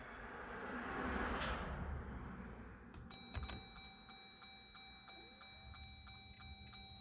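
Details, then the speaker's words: 2021 Jeep Gladiator EcoDiesel after fuel filter change, priming by cycling the key without starting: faint fuel pump whir kicking on and off under a repeating door chime; normal priming. "and you can hear when the fuel pump kicks on and when it kicks off"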